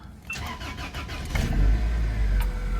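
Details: Worn Corolla cold start at about 10–19°F after sitting: brief cranking, then it catches and settles into a deep steady rumble; the engine needs a timing chain set and is said to clatter.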